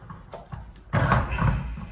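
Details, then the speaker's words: Old water heater tank, drained, being shaken during replacement: a few dull thuds and gritty tumbling; loose limescale blocks knocking around and falling to the bottom, sand-like scale seen in drained water. "On entend des blocs qui tombent. Il y a carrément des blocs de calcaire qui tombent au fond."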